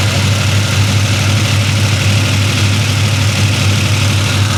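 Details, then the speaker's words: 1966 Chevy Impala with 427 big-block V8, first start after sitting, valve covers off: loud lumpy idle with fast steady rocker clatter as very little oil reaches the top end; valvetrain clatter from oil starvation, before valve adjustment. "So where's the oil? I mean, I see it in the, it's coming. Yeah, it's coming through. But not much."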